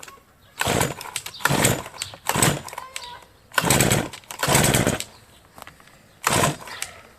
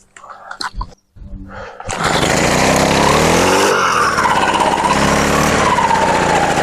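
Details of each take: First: Brush cutter (string trimmer) after winter, fresh fuel, primed, hard-starting since autumn: repeated pull-start bursts fire briefly and die within a second, never catching to a steady run; fuel filter is the first suspect. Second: Brushcutter started after winter storage with fresh petrol: a couple of pulls, then catches, revs up and holds a steady even run; runs properly after adjusting carburetor needle as well as mixture screw.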